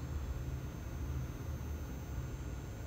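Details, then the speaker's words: Golf cart battery charger while charging: a low steady buzz with clicks as the needle swings from 0 to 10, drops back to 0 for a couple of seconds, then returns to the charging level. Charger working normally. "you'll hear it buzz and it'll click this little needle will go from 0 to 10 and then it'll go back to 0 for a couple seconds then it goes back to the charging level that"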